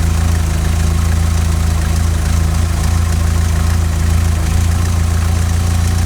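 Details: 16-valve Mk2 Golf GTI, warm, idle screw set to 950 rpm, CO mixture at 0.7% versus 2% spec after MOT emissions failure: low lumpy idle whose beat drifts unevenly and hunts, engine rocking; rough wandering lean idle before CO adjustment.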